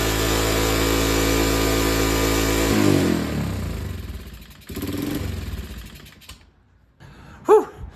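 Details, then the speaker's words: 1985 Kawasaki Bayou 185 ATV first start after a full electrical rewire. Engine holds a high steady rev, then winds down. Owner can't get it into neutral and suspects a transmission problem with it stuck in gear, probably first. An exhaust leak is also present. "I wish I could get it out of gear, but I know there's something messed up in the transmission because I'd like to get it in neutral because you hear that high rev. I don't like that."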